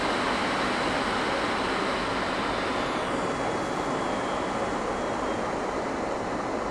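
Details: HP EVA6000 disk storage rack with four full disk shelves at power-on: loud, steady rushing roar of many fans spinning up and holding even; normal.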